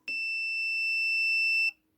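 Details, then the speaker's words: Mercedes KE-Jetronic throttle body throttle position switch tested with a multimeter buzzer. With the throttle fully closed, a clean high continuity beep holds about 1.5 seconds: the idle contact closes properly. "When you fully close the throttle, you must get 0. And we do get 0."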